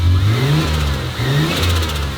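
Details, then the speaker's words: Turbo Ford Fairlane first start on a new Haltech ECU: repeated throttle blips with revs dipping unevenly between, won't settle to steady idle; ECU learning fuel map in closed loop, still struggling to hold it. "Look, it's learning the fuel map because it's closed loop. It's still struggling to hold it, but Yeah."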